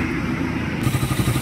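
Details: Suzuki Raider 150 with intermittent noise complaint, after replacing cam, chain guide and lining and setting intake valve clearance: even single-cylinder idle thump with no tapping or top-end clatter.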